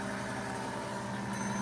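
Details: 90-year-old rebuilt Gilbarco GMB 80 gas pump pumping fuel. Steady, even motor hum with a constant low tone and no knocks or scraping; the pump motor runs smoothly and is fully operational again.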